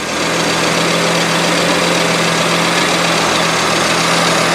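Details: Merkur XR4TI, 95,000 miles, sat five years after dying when hot; after distributor rotated to correct ignition timing it runs: loud, steady idle with even low hum, no stumbling or surging, holding idle cleanly.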